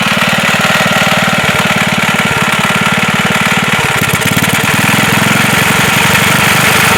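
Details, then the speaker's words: Wisconsin single-cylinder engine that sat for a long time, running with a rapid, uneven knock on each firing beat; slight play felt in the rod at the crank, suspected rod knock; engine also leaks oil and fuel. "Don't know if you can hear that on the video, but it sounds like there's a slight bit of play in the rod down at the crank, and that would probably be the knocking when it's running."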